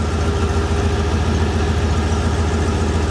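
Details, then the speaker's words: Hyundai Tiburon after its transmission repair, idling with the exhaust out of the garage: steady, even low idle with a constant pulse, no misses, ticks or knocks, and no smoke; normal idle. "listen how good she's around she's not smoking either"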